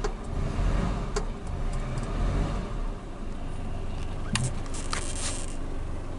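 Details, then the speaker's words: Suzuki Katana with original idle-up, second hose plugged with a bolt, single solenoid. Engine catches and settles into a steady, even low rumble with no misses or knocks, before the AC is switched on. Healthy, normal idle. "Saya nyalakan AC-nya, ini belum saya nyalakan ya, belum saya nyalakan. Tapi begitu saya nyalakan nanti tetap dia tetap stabil."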